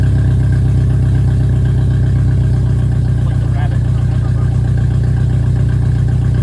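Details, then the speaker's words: VW Mk2 Scirocco 16v with CIS fuel injection, first drive after 20 years abandoned, no exhaust fitted: loud deep open-pipe idle chugging unevenly, beat wandering; rough, unsettled idle, battery light flickering, dripping some fuel. "I'm not really sure what it's doing. It's kind of all over the place, so Well, is it has no exhaust, so"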